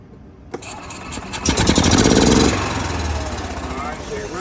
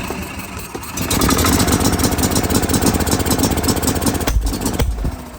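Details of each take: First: Gas Club Car DS golf cart that had been running rough, during pedal micro switch testing. It starts right up, revs briefly, then holds a smooth, steady run with no stumbling or misses. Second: Gas Club Car DS golf cart running rough, lumpy idle stumbling about four beats a second, firing only every once in a while; intermittent misfire, with the RPM limiter controlling spark from the micro switch.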